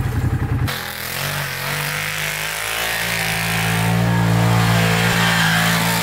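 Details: 2012 Arctic Cat Wildcat 1000 side-by-side doing donuts in snow: strong steady engine roar holding high revs, smooth pull without misses or knocks; normal engine under hard riding.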